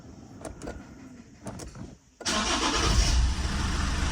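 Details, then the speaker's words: 2009 Lexus IS220D, 2AD-FHV diesel, starting after a fuel filter change that left the filter empty: a short crank, it catches straight away and is revved up cleanly with a steady, even note. Normal start and rev. "so straight up put some revs on cuz this will be fuel that's already in the system"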